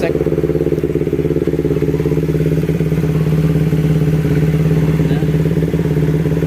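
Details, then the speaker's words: Carbureted Kawasaki Ninja 250, hot after about 20 km test ride, following repair of coolant boiling in the overflow tank (cause: temperature sensor and thermostat): smooth regular idle about three beats a second, no rattle or surging; no longer boiling. "Ini aman sudah beres tidak mendidih lagi ya penyakit Ini sensor suhu di thermostat dan di itu ya"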